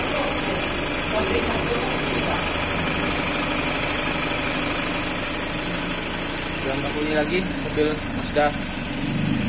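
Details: Mazda CX-3 at idle after blower motor repair; the blower had been noisy with the engine running, and the scan showed no DTCs: a steady, even whir from the blower with no wobble or rumble, so the blower motor runs smoothly.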